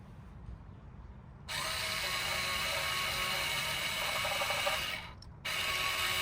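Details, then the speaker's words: 2022-2025 Nissan Pathfinder rear electronic parking brake caliper put into service mode with 12 V from a drill battery for pad replacement: a steady high whirring hum that starts, pauses and resumes as the motor retracts the piston. "Once you hear that humming noise, that is the motor retracting the piston. You won't actually see it compressing just yet."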